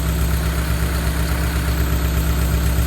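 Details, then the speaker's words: 2000 Honda City, manual, with the idle rising and falling: low, heavy idle with a strained, shaking pulse about twice a second; ignition timing off, the distributor was adjusted, yet the shake persists. "Pero yung gigil niya hindi mawawala yan. Inadust ni Patrick distributor. Ayun oh. Nagwawala talaga siya eh."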